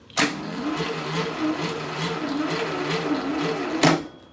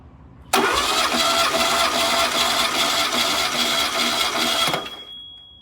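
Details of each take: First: Freshly rebuilt VW Type 1 1776cc flat-four on a bench stand, battery low and jumper connected: steady starter cranking at about two to three beats a second that never fires; there is no spark. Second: Freshly rebuilt VW Type 1 1776cc flat-four cranked on the bench during a compression test: about five seconds of steady, even churning with no drag or missed beats. Readings are about 150 psi per cylinder, equal across all four; normal cranking.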